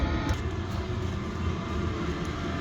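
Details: Chinese diesel heater, tested after six months unused, exhaust vented through a wall: steady low rumble with an even whooshing roar, no misses or surging; fired up first time, burning cleanly and running normally.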